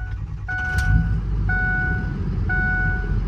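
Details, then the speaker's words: 2005 Ford F-250 6.0 Powerstroke diesel, hot crank-no-start fixed by replacing IPR valve; hot restart at full oil temperature: steady, even diesel rumble with chime beeping about once a second, fires right up smoothly, no stumble. "still fires right up so problem fixed"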